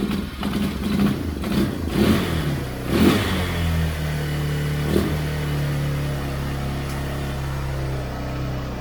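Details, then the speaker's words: 1999 Yamaha Bear Tracker 250 ATV, suspected bad gas: engine revs raggedly and stumbles, pitch sagging into low uneven idle, idling then bogging repeatedly. "It bogs, like it idles for a minute, and then it bogs, and then it idles again. It ain't gonna run. It ain't gonna run like that."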